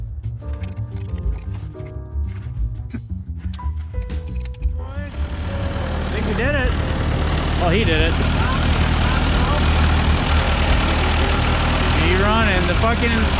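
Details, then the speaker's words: Skidder diesel, four-cylinder, after installing a used known-good injector pump that was first fitted 180 degrees out of timing; once corrected it starts and settles into a firm, even clatter on all four cylinders, revs building without missing, music partly covering it. "us running on all four cylinders oh it turns out it was a few hundred pump was 180 degrees off in timing"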